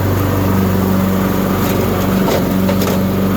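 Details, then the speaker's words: Used Husqvarna riding tractor test run after deck repair and axle seal replacement, mowing with smooth pedal drive: steady, even single-cylinder drone under load, no knocks or misses; runs smooth and healthy. "The pedal drive is nice and smooth. On the Craftsman, I gotta have my hand on it all the time. Pretty good."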